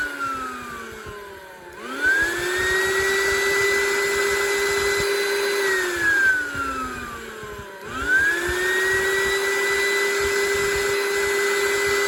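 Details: Oreck XL9100HG vacuum motor test after disassembly and clog cleaning of jammed fan (previously grumbly): spins up to steady clean high whine, coasts down and restarts; no rubbing or rattle, sounds healthy.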